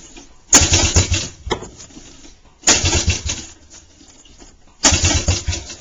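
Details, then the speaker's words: 1985 Suzuki LT125 quad with cleaned carburetor and nearly full tank: three cranking bursts that never catch; cranks but won't start, a valve later found blown. "I spent almost six guys trying to fix it and I still can't get this start"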